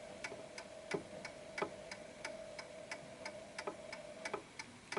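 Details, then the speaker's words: Antique Westminster chime clock with crisp, evenly spaced ticks about three a second after being nudged slightly left to find its center of gravity. It had been ticking off-beat before; the pendulum clock is now running in beat. "That sound there is a perfect ticking clock."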